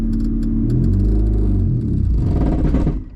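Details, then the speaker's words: Honda Civic wagon, in neutral with the clutch cable fixed the day before. The engine drone sags and labours under throttle, then dies within about three seconds. Stalls under throttle in neutral; a seized or broken transmission is suspected. "the car is acting like it wants to go but it doesn't because when I apply gas in neutral it dies"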